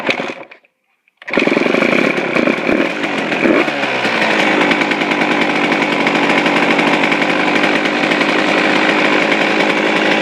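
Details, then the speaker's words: Suzuki RM125 two-stroke, first start after complete engine rebuild, started cold, carb air screw at factory setting: crisp even crackle at slightly high idle without misses or rattles; normal idle. "oh all wow perfect it's perfect um yeah that's pretty good um i don't need just to do a little bit it's a little bit high but that's good enough for me"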